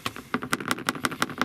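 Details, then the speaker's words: Approved-used Land Rover Discovery Sport HSE Black, owned one week, while moving. Quick dry ticking rattles, five or six a second, which the owner attributes to loose trim, seats and seat belts loosened through use; suggested fix is repositioning seats and tightening the belts. "you get a little rattling noise. So if you're getting a rattling noise, it's because of the trim and the seat belts and the seats."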